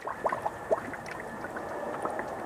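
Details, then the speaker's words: 1997 Honda Civic 1.6L SOHC VTEC, engine cold, cylinder leak-down test at 100 PSI: bubbles gurgle and pop in the radiator over a steady air hiss, compression leaking into coolant; suspected blown head gasket or cracked head. "so we definitely got a problem in this cylinder I got the PSI at 100 right now car isn't hot or nothing it's cold"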